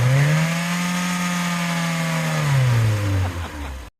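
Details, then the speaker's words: MK2 VW Golf GTI 16v first start after winter storage: engine blipped from tickover, tone rising then falling back, uneven and lumpy as it settles; rough running after sitting, spark plugs long unchanged and a big service due. "So there you have it. She runs. She's a little bit lumpy. I can't tell you the last time I put plugs in this thing."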